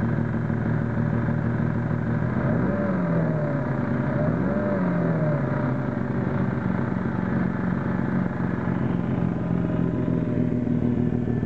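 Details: 1992 Mazda RX-7 Efini FD, used JDM rotary swapped in, unknown mileage, set up non-sequential: lumpy, hunting idle with two brief rev blips, never settling; engine runs strong, compression not yet tested. Rough idle.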